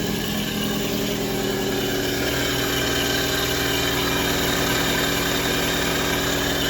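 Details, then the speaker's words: 2005 Nissan Altima 2.5 S, brought in for smoking, at idle: uneven lumpy idle, pulsing shake about three beats a second, occasional pops and vibration, no white smoke from tailpipe; rough idle misfire, cause not confirmed. "oh definitely popping definitely vibrating no weight smoke at all"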